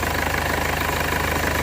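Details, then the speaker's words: 2015 Mercedes CLA 220d diesel after the leaking injector was repaired: steady, even diesel clatter at idle with no misses, knocks or hunting; running very smoothly, injector returns and high-pressure side not leaking. "everything is everything looks pretty good and look at that running really really smooth"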